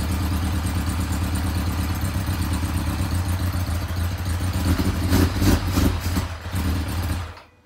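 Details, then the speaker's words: 1990 Kawasaki Ninja ZX-7R, first start after years stored, oil pressure light out, running without air box, fuel pump untested: rough lumpy idle with uneven firing and stumbling blips, not accepting throttle; owner blames missing air box. "not really accepting any throttle input but I think that's because of the lack of the air box"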